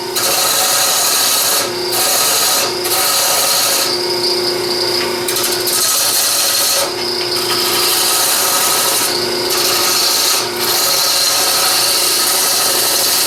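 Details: Bowl gouge on a lathe turning edge-grain plywood, far denser than pine because of the glue; hard, raspy scraping in bursts with short pauses between passes over a steady motor hum; the tool takes heavy pushing and should be sharpened before further cuts.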